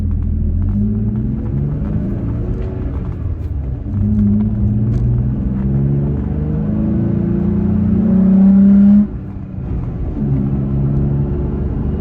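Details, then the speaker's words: Toyota Tacoma cruising at 60 mph with OEM roof rack deployed, heard from inside the cab: steady low road and engine drone, no whistle, hum or rattle from the rack; normal truck noise. "okay we're cruising at 60 miles an hour right now i don't hear anything other than uh normal truck noise"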